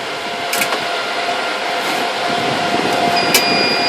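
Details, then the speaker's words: Supermicro 2U server power supply replacement: new PSU module slid in with its power cable not yet plugged, high steady alarm tone over loud fan noise, red light on; the beeping stops once the cord is plugged in. "start beeping because it realizes that the entire squad is in and the cables not plugged in"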